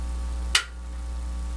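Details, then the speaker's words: National HRO tube receiver with no B+ reaching the radio: a known-good switch gives two crisp, positive clicks about a second apart over low mains hum, the sound of a good switch. "I think here's one over here yeah that's what a switch should sound like"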